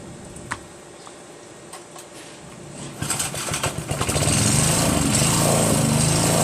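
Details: Northern Hydraulics pressure washer, Briggs 3.5 HP, sat 8 years, started with starter fluid, clogged wand tip cleared: sputters then steady, even high buzz; runs normally, pressure weak.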